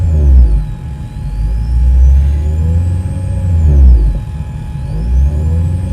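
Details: Car audio speakers with the engine running: a thin high whine sweeps up and down with each throttle blip, alternator noise that is absent with the engine off, to be cured with a noise filter.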